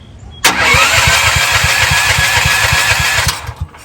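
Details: CAT RP7500 generator that sat unused for some time, with choke on and fuel on: the starter cranks steadily at about four pulls a second for three seconds, but the engine never catches. It cranks without starting; earlier flooding is suspected, and fuel flow is confirmed.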